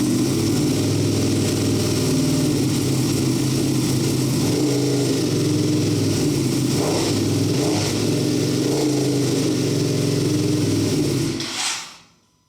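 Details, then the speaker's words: Wrecked Ducati V2 Bayliss, first run after 3–4 months of rebuild, in neutral on a table, weak battery, little fuel: lumpy, even V-twin beat at fast idle, then cuts off cleanly; smoke off rear header, probably cleaning products. "She runs, finally, after 3 or 4 months. But there is smoke coming off the side. How awesome is that? That sounds wicked."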